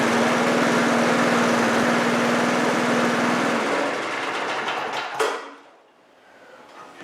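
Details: Briggs 3.5HP single-cylinder push mower engine (about 1978–1980) with diaphragm carburetor and automatic choke, at about quarter throttle after deck repair: smooth even buzz, then clean wind-down at shutoff; healthy normal running.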